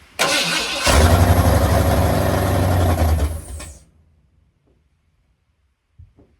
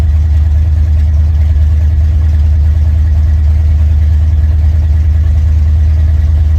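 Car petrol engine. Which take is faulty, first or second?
first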